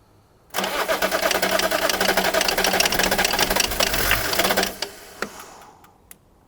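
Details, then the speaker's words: BMW E34 diesel, cranking after glow plugs were cycled: about four seconds of fast, uneven cranking with a few stumbling catches, then it stops dead. It tries to fire but won't keep running. "Give it another whip. I think it's trying better. Do you not? It does try, doesn't it?"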